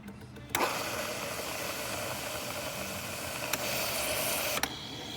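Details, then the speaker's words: Saeco Xprelia Evo espresso machine after service (door hinge replaced, grinding noise addressed), carafe-clean cycle: a sudden steady hiss through the milk nozzle for about four seconds, then a sharp cutoff; normal steam purge. "You move that back, the carafe will say that it needs the carafe clean, so it'll just run some steam through the nozzle here."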